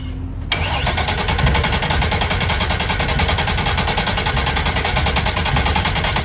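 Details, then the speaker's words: A Mercury 400R outboard, one of four on a Midnight Express yacht, catches and runs rough with an uneven, popping sputter. The owner says it's starved of fuel, not a mechanical fault, and that it's turning over. "You can hear it in the way that they're sputtering. They're just not getting fuel."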